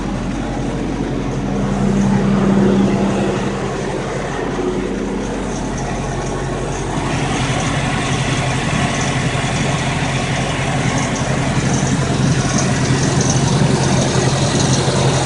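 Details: Toyota engine at idle: low, steady hum with an extra faint, rapid pulsing noise over it; abnormal noise at idle.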